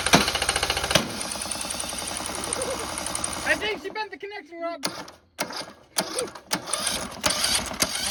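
Small engine runs rough with a fast, hard tapping knock over the firing beat before it cuts out; internal damage likely, cause unconfirmed.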